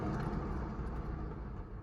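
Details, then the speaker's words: Honda Accent wheel bearing heard with the wheel spun by hand: a deep, rough rumble that drags on and fades as it slows. On the road it gets louder with speed and is very loud over 40. The worn wheel bearing needs replacing. "It's like a deep, rumbly sound. It's like, you can feel it like shaking the whole car, kind of. Like, it's a rough sound, guys."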